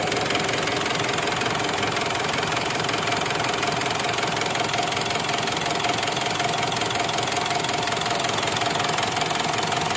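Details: Mitsubishi Strada Triton common-rail diesel, after repairing its hard start (previously only started when primed with petrol), starter now good: even, steady diesel clatter at about 160 beats a minute with no misses or extra knock; normal diesel idle.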